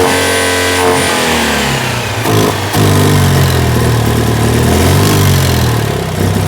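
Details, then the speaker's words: 2CV-based Falcon S kit car, abandoned for 23 years, runs for the first time after revival. The twin blips up, then settles to a sweet, even idle with no knocks or misfires, and the exhaust is solid. "so she's up and running she's sounding sweet but unfortunately for you car that is the end of running that sounds so sweet beautiful exhaust is solid"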